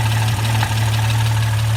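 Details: Jeep XJ 4.0 inline-six, 269,000 miles: deep steady idle with a faint repeating knock at engine speed, a newly started internal knock of unknown cause.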